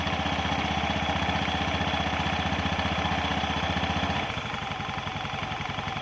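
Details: Honda Beat scooter idling during CVT installation, after the engine oil and gear oil were changed; a steady, even putter that settles slightly lower after four seconds, with no knocks or rattles, so the engine is running fine.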